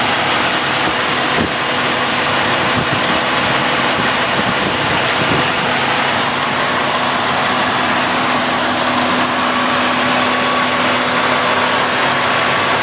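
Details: 1981 Chrysler Imperial at idle with A/C converted to R134a and an aluminum radiator: the relay-wired electric cooling fan kicks in with a steady, even whoosh. The fan switch turns on at 207°F and off at 176°F, and the fan runs normally.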